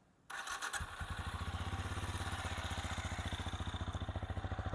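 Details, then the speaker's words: Benelli Imperiale 400 single, about one year owned, stock exhaust with baffle/filter kept in: catches quickly on starter, settles into steady even thump idle with deep stock note; normal. "teman-teman, ini adalah suara standar dari Benelli Imperial ya. Ini suara standarnya kayak gini."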